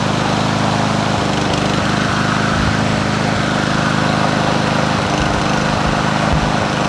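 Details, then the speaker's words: Troy-Bilt TB110 push mower, 140cc 550EX engine, carburetor previously replaced: runs hard with an uneven, slightly stumbling beat about 220 a minute; rough running, spark checked for consistency, owner suspects possible ignition coil issue. "I just want to see if we're kind of losing spark in a way or if it's consistent spark we might have a coil issue"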